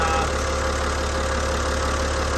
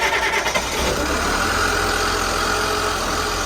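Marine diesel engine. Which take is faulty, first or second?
second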